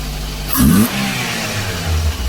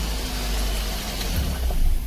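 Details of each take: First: Daihatsu Dabbab (Hijet) with electronic throttle body, refitted with old sensor: two throttle blips, then the idle hangs raised and slightly wavering instead of settling because the throttle plate is not fully closing and needs pressing shut. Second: Daihatsu Dabbab after cleaning the electronic throttle body and adjusting the throttle plate to fix a high, rough idle: steady, even low rumble with no hunting, rising slightly at the end; normal idle.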